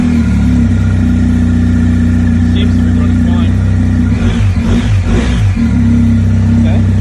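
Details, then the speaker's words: 2020 BMW R1250 GSA after highway breakdown at 75 mph when coming off the gas: engine idles fine, but once put in gear a rough clattering grind appears; owner suspects the final drive shaft, which the dealer is replacing entirely. "That in the middle of the highway, me just coming off the gas a little bit, and that's what happened. To me, it seems like the final drive shaft."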